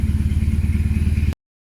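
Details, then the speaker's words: BMW R1150RT boxer idling after a full strip-down for clutch and starter motor work, with the tank drained and refilled with fresh fuel; steady, even thump with no stumbles or missed beats, now running beautifully. "But yeah, I mean, it's running beautifully now, so well happy."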